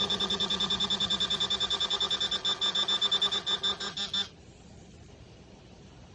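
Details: Garrett Pro-Pointer AT pinpointer during a detection-distance test: fast even beeping, roughly three a second, then a clean cutoff; signalling metal near its tip.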